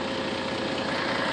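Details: After repairing a broken exhaust pipe at the catalytic converter/resonator with heat wrap, leak checked with soapy water showing no bubbles: steady, even idle with smooth rush and no puffing or ticking from a leak; exhaust sounds sealed.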